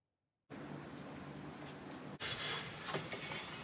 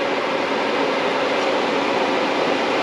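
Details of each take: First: Accord with H22 swap, homemade fan shroud on tucked radiator, fan bench-powered: uneven clicking rattle on the fan whir, sharper as it spins up; blades touching the shroud from insufficient clearance, later fixed. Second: 1995 CD5 Accord with H22 swap, tucked radiator and homemade fan shroud, fan run by shorting its connector: smooth, even whoosh at constant speed with no rattle, ticking or wobble; cooling fan runs healthy.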